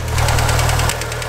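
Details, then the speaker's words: Evo engine idling after sitting a while: fast, sharp clatter of about ten ticks a second that sounds like rod knock but is hydraulic lifters bleeding down, not a bottom-end knock; quiet once bled out. "all right evos have the noisiest lifers I've ever heard thing sounds like has rod"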